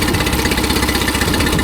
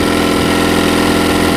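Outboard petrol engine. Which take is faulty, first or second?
second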